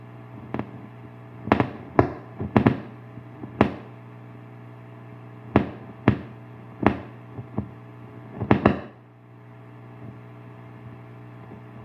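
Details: Bugera 6260 tube guitar amp, first time played hard: sharp, irregular pops and cracks over a steady low hum.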